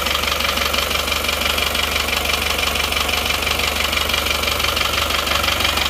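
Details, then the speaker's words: Isuzu Panther diesel after liner and piston replacement with imitation 'made in Japan' pistons, started without full assembly: hard rough knock about three per second at idle, clearly harsh; rough running from poor-quality pistons. "Saya memang ingin berspekul berspekulasi karena belum percaya makudnya belum percaya Masak Saker suaranya bisa kasar gitu"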